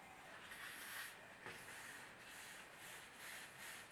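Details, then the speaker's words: Honda Bros cylinder head on DIY leak-down rig at 100 psi, engine off: steady soft hiss of air escaping past the exhaust valve seat, intake valves nearly sealed; exhaust valve needs work. "okay so you can really hear it's coming out of the exhaust valve"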